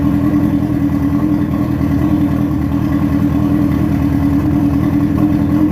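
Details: Dune buggy with a motorcycle engine at first start-up, fans rewired through an added relay: a fast, steady engine note holding even with no knocks, misses or rattles; the engine sounds healthy.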